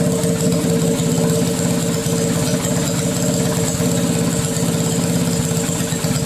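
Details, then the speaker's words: Mini bike small single-cylinder engine with aftermarket carburetor, first start after catch can install: quick uneven putter, irregular beats, slight hunting; rough idle, owner plans carburetor tuning. "I know it doesn't sound right perfectly so in the next video I'll tune the carburetor because it just isn't running as smooth as I want it"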